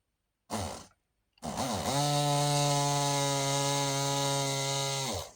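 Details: Battery rotary tool that stopped working, motor wired directly to charged battery pack during repair: short blip, then steady high whir at a fixed tone for about three seconds before spinning down; runs but sounds weak, with a slight burning smell.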